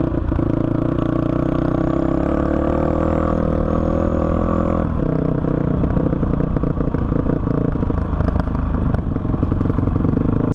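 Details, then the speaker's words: 2005 Honda CRF450X single-cylinder that sat 10 years, ridden after richening the needle one notch (two from bottom) and raising the main jet to 190 with a 45 pilot: strong steady beat, clean throttle pickup, no stumble or bog; running properly. "as you can see this thing is an absolute beast and it is running great"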